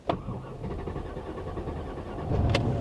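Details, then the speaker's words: Truck at auction, hot restart after running: starter turns several seconds in short uneven beats before it barely catches; afterward SRS malfunction warnings and a starting misfire appear; hard start. "it doesn't want to start does it it doesn't like that"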